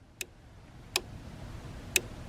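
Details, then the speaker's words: 2nd Gen Cummins truck with a suspected bad wiper motor, wipers switched to delay: sharp single clicks about a second apart as the wiper relay cycles normally. Power is confirmed at the plug, and the wiper fuse checked fine. "so we're gonna go ahead and turn it on a delay right there and you can hear that relay clicking"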